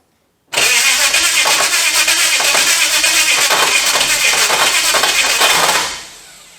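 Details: HT Holden with a swapped 253 V8, first start on straight headers with no pipes: fires at once into a loud, crackling, lumpy run for about five seconds, a healthy start.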